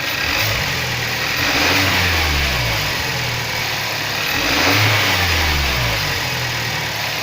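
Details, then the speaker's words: Kia Sorento 2.0 T-GDI after repair of a connecting-rod knock: two smooth rev climbs and falls with no knock or tapping. The engine runs evenly and sounds healthy. "андрюха запускает мотор работает ровно никаких посторонних шумов дай оборотов благодаря андрюха"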